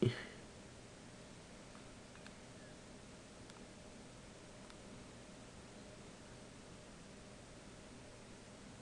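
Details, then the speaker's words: iPod Classic a few days old: a faint steady low whir with soft scattered ticks. This is its built-in hard drive spinning and seeking, which is normal and not a fault; a new unit makes the same noise. "od Classic four or five days ago it has some funny noises like a disc spinning in an older computer but I did research on it it's like a hard drive disc thing it's built in so I just want to let you guys know and be aware of it"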